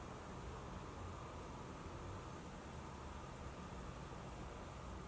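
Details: Console fan running: only a soft, even airy hiss with no whine, rattle or surging; normal quiet fan.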